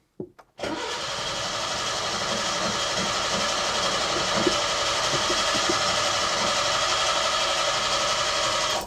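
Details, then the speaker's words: Datsun 120Y after carburettor ultrasonic cleaning and old fuel drained, choke out: starter churns engine about four pulses a second for eight seconds without catching; fuel not yet pulled from rear tank to carburettor. "I don't suspect it to fire up in instantly because it needs to pressure because it needs to pull the fuel from the rear all the way through the filter and through the pump and into the car before anything will happen"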